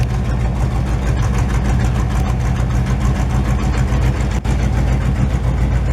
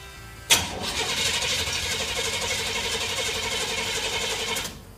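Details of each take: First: 1968 GMC truck just started after 20 years: deep, loud, lumpy V8 idle with steady low rumble and no knocks or ticks; engine healthy, exhaust very loud. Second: 1968 GMC truck, first start attempt in 20 years, being given gas: sharp start, then about four seconds of rough, uneven churning before dying; catches but won't keep running.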